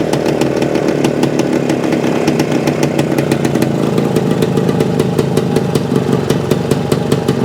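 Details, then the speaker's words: 1975 Suzuki TS-250 two-stroke, running after stator rewire and coil ground repair, exact cause unsure; idle set a little over base. Crisp, rapid popping at slightly fast idle, even and steady without stumbling; idling fine. "here is our targeting at an idle a little over aisle"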